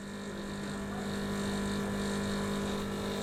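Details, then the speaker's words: Milesto Eliane espresso machine, vibratory pump deliberately overheated by repeated long brews: steady hard buzzing drone, no let-up and no gurgle of water, pump running against no flow. "Hai jadi kita sengaja ini memang bikin dia ya over Heat"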